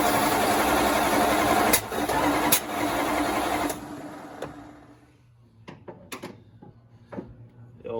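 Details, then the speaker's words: Dodge Dart with the spark traced and timing set roughly by eye, possibly 180 degrees out, no timing light: the starter churns steadily at about four turns a second but never catches, then winds down; crank no start, possibly timing or fuel. "we're just gonna kick it in the guts again hopefully we can get a bang come on i think now i just need some fuel"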